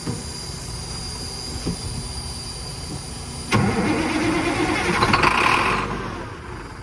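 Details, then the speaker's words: 1987 Ford LN9000 diesel after sitting about 20 years, batteries fitted: the starter turns the engine over slowly with a steady chug, then it catches and roars. It would not pull fuel on its own and ran only after the third shot of ether. "but it rolled right over um did not want to pull fuel on its own but after the third shot of ether she ran on her own and pulled fuel"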